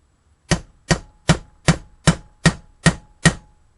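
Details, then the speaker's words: Valve stem seal on a Clio 1.8 16v F7P head being tapped on with an 11 mm deep socket, extension and lever; even taps whose note changes from a dull thud to a sharper metallic tone once the seal is fully seated. "so you should have heard that then changing a slightly different note and you can hear the tone difference basically so it goes from that sort of dull fart to like a metal Fudd that noise there"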